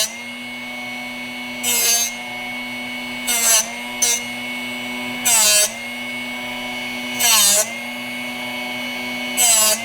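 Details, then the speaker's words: Drill Doctor bit sharpener: a steady motor hum broken by harsh grinding bursts as a badly dull drill bit is turned in the port. The grinding stops once the bit is sharp, which can take 15–20 turns. "And you'll hear it here in a second, and you'll know when the bit is sharp when it stops grinding on it."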